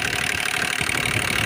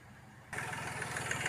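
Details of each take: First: Hyundai Grand i10 diesel (2015 per tags) at idle: rapid light even tapping over the engine note, sound has worsened; mechanic suspects timing chain, possibly piston, not yet confirmed. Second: Hyundai Grand i10 diesel (2015, BS4), restarted after engine work for a timing chain/tapping noise, with rpm held up and then eased to normal; the engine catches and idles evenly with a soft clatter, no tapping. Normal idle.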